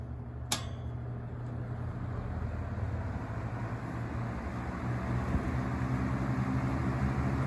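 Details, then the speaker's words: Vintage Coast-Air 12" box fan, guessed late 60s to early 70s, on medium speed: steady low hum with a smooth airy rush, more airflow than low; no rattles, running normally. "a pickup on the medium speed i'm using more air now"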